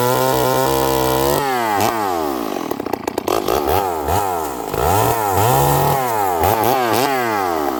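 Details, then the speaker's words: Stihl 038 Magnum chainsaw, long parked, bench running; revs up crisp, but each return to idle sounds burbly and slow to settle, really rich (leaning it out went too lean, with off-idle stumble): rich return to idle. "This saw it sounds crisp. It's revving, but listen to how it comes back down idle. It sounds really rich."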